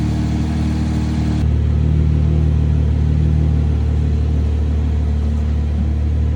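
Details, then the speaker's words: Cold start of a 2020 Chevrolet Camaro V6 right after an oil change with 6 quarts 5W-30 and a new filter: starter catches, engine settles into a steady even low hum with no knocks or ticks; normal cold start. "I'm gonna turn it on now. So okay, here's a cold start for you guys."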